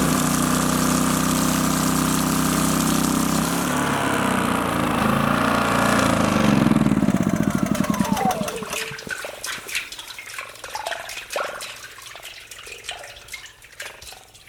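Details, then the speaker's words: Alaska water well pipe, previously frozen solid overnight, after fix: pump run stops, then fast gurgling patter trails into irregular drips as water drains down the pipe, out a small hole and back into the well; normal drain-back. "right, that noise that we're hearing, that is the water draining down the pipe and out that little hole and then down and back into the well. So that's a good sign."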